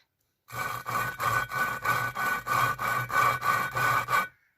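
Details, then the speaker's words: VW 2.0 16v 9A cylinder head, valve first touched to seat with coarse grinding paste and twisted by hand: about a dozen rough gritty strokes, a few per second; quite coarse, seat not yet mated. "Now you can hear, if you hear this, that's quite coarse."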